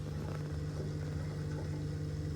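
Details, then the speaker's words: Miele dishwasher after fixing its startup grinding noise, quick short wash with water poured in; steady low hum of the drain pump running smoothly and quietly, no grinding or rattle: normal pump running after repair. "you can hear the water draining through out through the plug hole already so that is working nice and quietly"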